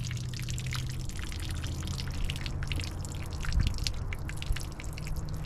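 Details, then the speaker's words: Seized tow truck engine being filled with Marvel Mystery Oil to free it up: a steady patter of drips over a low hum as the oil leaks out somewhere. The source is unknown; the owner wonders if the block is damaged. "All right, now it's leaking out somewhere. I can hear it. Oh yeah, it's really leaking out."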